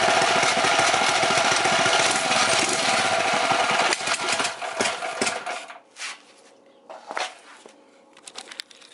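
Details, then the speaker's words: 212 Predator mini bike with a PWK-style carburetor: the air mixture screw was turned out too far (leaned out). The small engine chatters, backfires and stalls. The fix is to turn the air screw in a bit and probably raise the idle. "so you see how it backfired and cut off that mean air air Miss screw is not set right so I got to turn it in a little bit more for my application"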